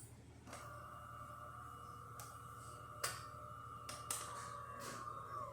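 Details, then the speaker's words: DeLonghi Magnifica S espresso machine after full service with the old 2010 water pump, flow meter and air valve replaced: a few clicks, then a steady mid-pitched pump drone with a small knock or two as it rinses itself at shutdown. Normal. "and clean itself. Turn it on again. If you turn it on right away, I guess many machines didn't rinse if it's like really right away."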